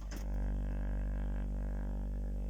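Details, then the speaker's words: JBL speaker playing a 49 Hz sine test tone: a steady deep low tone with a raspy, papery buzz riding on it from the damaged surround. The buzz was missed with narrowband pink noise. Surround to be replaced. "Put a frequency sweep through it, or a sine wave, or a let's just play a sine wave. That's 49 hertz."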